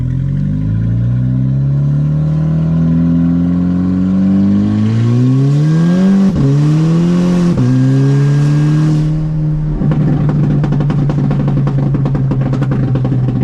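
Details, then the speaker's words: VW GTI with aluminum intake manifold (no runners), test drive after misfire fix: engine pulls cleanly through the gears, pitch rising smoothly each shift, no misfires, stumble or transmission slipping, though shifts felt a little aggressive; normal acceleration. "And things were running great. I had absolutely no misfires, no transmission slipping."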